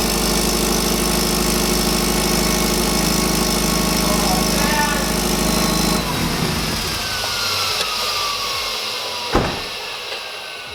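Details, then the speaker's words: Subaru with ETS rotated turbo kit, after heat-up: loud raspy idle with fast puffing tick, then shutdown; huge exhaust leak from a crooked V-band clamp at the turbo up-pipe flange, downpipe flange fine. "that v-band on that up pipe flange is not straight at all that would explain why we have a huge exhaust leak"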